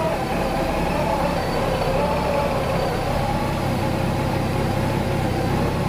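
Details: Warm idle after running 7–8 minutes at about 45°F, radiator fan not yet cycled: a drone with slowly wavering pitch. This rough, surging idle is attributed to voltage surges at the fuel pump.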